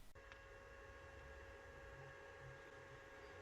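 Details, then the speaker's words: Sammy Atomiswave arcade board after replacing its shockingly loud stock fan with a Noctua NF-A4x10 40mm fan, case closed: very faint steady whir, no rattle or grind; about a quarter of the original noise. "Now, of course, that's going to sound maybe a lot louder than it actually is, but that is pretty good. It's really quiet."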